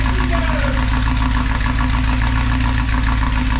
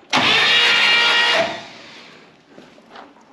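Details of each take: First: 1964 Buick Electra 225 V8, fire-damaged, just started after revival: loud, deep, uneven chuff and rasp pulsing with each firing at idle; holes in the charred exhaust leaking badly. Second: 1964 Buick Electra 225 engine from a fire-damaged car, cranked on the starter without spark plugs, full tank of gas, fuel pump pumping; strong even whir about one second, no grinding or clicking, starter working properly.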